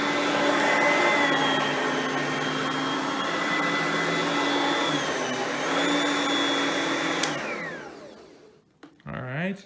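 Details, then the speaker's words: Oreck XL Platinum direct-air vacuum running: steady, even motor hum and airflow with a smooth tone for eight seconds, then a clean spin-down; quiet and healthy. "and as you can hear both are pretty quiet vacuums for being that there are both direct air based vacuums"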